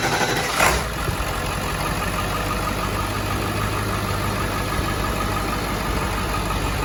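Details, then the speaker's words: 7.3 diesel truck first start-up after EBPV delete and Wicked Wheel 2 turbo install, cranked first to build oil pressure: brief crank, catches quickly, settles into steady even idle without knocks or stumbling; normal start-up and idle. "all right at the moment of truth starting up with the wicked wheel in the EBP V delete"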